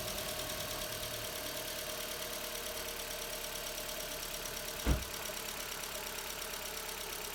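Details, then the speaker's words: MK4 Jetta 1.8T first start after blown head gasket repair with replacement head, new timing belt, water pump, thermostat and temp sensor; started first try, smoky, owner suspects valve cover leak. Steady, even idle with smooth hiss, no knocks or misses; sounds healthy. "smoky up in here, but started. First try."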